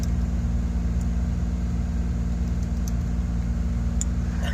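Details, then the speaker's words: 1989 Buick Reatta after fitting a new AC Delco idle control valve: steady, fast, even drone holding about 2,300 rpm without dropping to normal idle; runaway high idle persists, carbon buildup suspected, unconfirmed. "That sounds like it's revving, still revving high."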